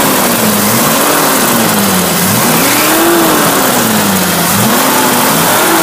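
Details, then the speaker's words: 1961 Willys Jeep CJ5 with 1957 Chevy 283 V8, manual choke, idle set slightly high for winter warm-up: fast idle with slightly wavering pitch, no knocks, misses or rattles; running smoothly and healthy. "As you can hear, there's no clicking or knocking. Start right up. It's idling."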